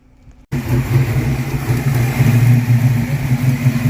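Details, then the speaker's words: 1982 Mustang GT with a brand-new rebuilt V8 with heads and cam, restarted after a fuel pump problem while the broken ignition switch is held in place. It fires and settles into a steady, deep, even burble with no knocks or misfires. Normal idle. "Oh, she sounds beautiful. I can't get out of the car because I've got to hold the broken ignition switch in place, but she sounds beautiful."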